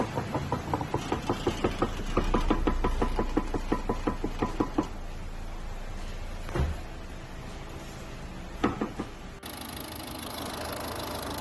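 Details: Chrysler 3.6 V6 at idle; sharp metallic ticking about three times a second, steady and regular, from the top end: worn camshafts knocking.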